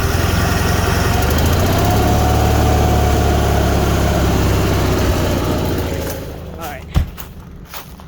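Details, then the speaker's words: Marquis 7000 generator after low-voltage fuel pump fix with voltage booster, fuel shut off: steady drone sags and fades out in about six seconds as the carburetor bowl runs dry. Normal run-down after fuel shut-off. "all right so we're just gonna let that die out so i do that every time especially for small engines"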